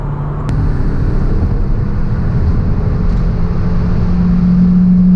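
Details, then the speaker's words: Fiat Panda 100hp with an Abarth TJet turbo engine swap, driving under acceleration: a smooth engine drone building steadily, with no knocks or rattles. The turbo is audibly spooling up, not instantly but much better than before, and it drives much better. "it drives so much better than it used to so you've got power pretty much uh you can hear the turbo spooling up I'm not going to say instantly but it's a lot a lot better"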